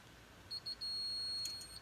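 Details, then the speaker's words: Immobilizer chirp from a motorhome's aftermarket anti-theft system after its fallen, velcro-mounted unit was stuck back in place: two short high beeps, a long steady tone and a final chirp, meaning the key was read and the engine will start instead of locking down. "you hear that that's the magic sound that says when I put my key in the ignition it's going to start rather than lock down and beep and make all kinds of interesting noises"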